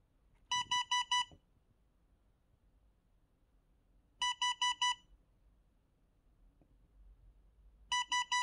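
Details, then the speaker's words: ITronics ITB200L dashcam: groups of four sharp, high beeps repeating about every four seconds warn that no memory card is inserted; the same sound can occur with a card in if it isn't formatted often. "되게 듣기 싫은 소리가 나. 아무래도 운전자에게 그만큼 신호를 보내는 거지, 운전자에게. 위험하다는 신호를. 이 소리. 카드가 없으면 나는 소리예요."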